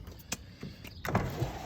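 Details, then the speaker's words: 1988 Toyota Land Cruiser FJ62, passenger-side power window: motor whirs low and strained, glass creeps up very slowly, jumping and catching with thumps; owner suspects hardened window rubber needs replacing rather than the motor, maybe needs grease; slow power window. "see it's really slow but i can kind of hear it grabbing on that rubber i don't know if you can see it kind of jumping back and forth see i think that rubber needs to be replaced"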